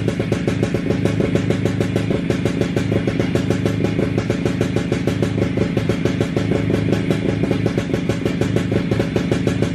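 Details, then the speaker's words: WSK 125 two-stroke motorcycle, first start after engine rebuild, engine back in frame: crisp steady idle with even quick popping, no misses or knocks; owner surprised it started and held idle. Normal idle. "ogólnie póki co jestem zaskoczony bo odpalił nawet obroty wolne trzymał"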